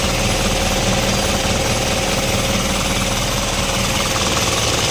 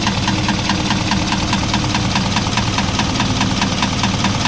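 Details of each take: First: Isuzu 4HL1 diesel at idle after retarding injection timing three teeth: steady even clatter, starts on one click, earlier knock and hard starting gone. Normal diesel idle. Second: Isuzu 4HL1 diesel idle with sharp regular knock about twice a second over engine rumble; starts easily, no check engine, injectors not suspected; piston slap, cylinder head removed to inspect.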